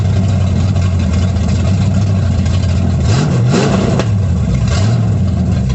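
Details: 1937 Dodge Brothers truck with a Holley 650 carb whose bowl is sealed with a modified gasket, no leaks: steady low idle rumble with quick, even throttle blips and no ticking; normal running and revving.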